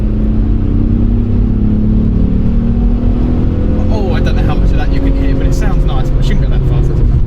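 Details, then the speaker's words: Alfa Romeo 156 after installing replacement ECU for a faulty one, third gear acceleration on road: engine note climbs smoothly and evenly under load with no stumble; previous cut-out no longer happens, normal acceleration. "so we're in third gear that definitely doesn't cut out which is nice"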